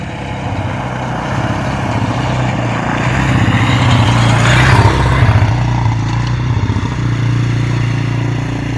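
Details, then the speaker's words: 1998 Yamaha Warrior quad that previously wouldn't start, running after fitting the correct NGK spark plug, which had been loose with no compression: the single cylinder pulls steadily through a gentle rev rise and fall with even firing, no misses or knocks. "healthy how was it Oh how's it all just work good yeah she smooth"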